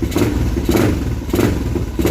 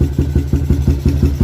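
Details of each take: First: Motorcycle (Umar Racing carburetor, MB CDI, owner's NLK 28mm exhaust with silencer): fires first try, four crisp throttle blips, smooth idle; timing and response good, normal start and revving. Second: Motorcycle upgraded from 63 to 65 spec top set (65 head and block, Umar Racing carburetor), owner's long Espada open-style free-flowing exhaust: loud lumpy open-pipe idle thumping about six beats a second; carburetor set slightly rich for the free-flowing exhaust.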